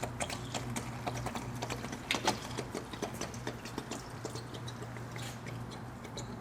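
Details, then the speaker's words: Cooling system pressure tester released after holding steady pressure for 30 minutes with no gauge drop: crackling, fizzy gurgle over a low hum as air trapped in the engine forces some coolant out on release. "To do that, you turn this and you can hear the pressure release. It's probably going to leak some of the coolant out."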